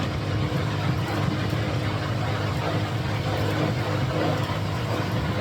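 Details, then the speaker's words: Bonaire Durango WEAC6821 evaporative swamp cooler, circa 2004, test run after water pump and pad replacement: steady, even fan whoosh with a low hum and water running, no knocking or rubbing; working normally. "I'm just going to turn off the fan you can hear the water running I think we got it"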